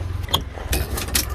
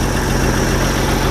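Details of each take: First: Jeep CJ with a 258 4.2L engine and an aftermarket carburetor, started after sitting about a month: long, uneven cranking with weak firing and no catch; owner suspects fuel siphoning back to the tank (losing prime) and a weak battery. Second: Jeep CJ 258 4.2L with aftermarket carburetor, started after sitting a month (owner suspects fuel draining back to tank), on choke: steady, even low rumble with smooth unchanging beat; normal idle.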